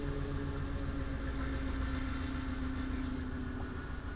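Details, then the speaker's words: 2006 Ford E350 box truck after repairing a CAN network fault that left the PCM offline: starts and idles with steady low rumble, even beat, no misses; PCM still holds two fault codes; normal idle. "Looks like this one starts and runs."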